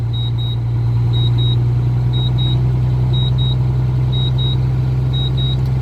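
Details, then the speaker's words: Air brake test with the truck's diesel idling: high, sharp double beeps about once a second from the low-air warning buzzer, which sounds, along with the warning lights, while air pressure is below about 90 psi. "the audible you beeping you hear that is your low air warning signal still it'll go off around 90 psi and so will both your lights"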